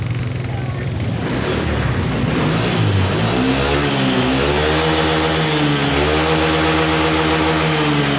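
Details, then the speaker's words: Honda Vario 150 scooter lacking power, after throttle body cleaning and DTC reset, kick-started due to weak 11.6 V battery; crisp throttle blips, revs rise and fall cleanly without bogging: normal revving after service. "Saya akan melakukan pengengkolan dan ini sudah enak guys bisa kita dengarkan"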